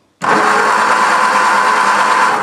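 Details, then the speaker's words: 1963 Ford Lotus Cortina Mk1 Crayford convertible, long-stored garage find: steady starter whir over two seconds with no firing, cranks but no ignition spark; condenser thought fine. "no still nothing still nothing so hang on then mysterious yeah mysterious"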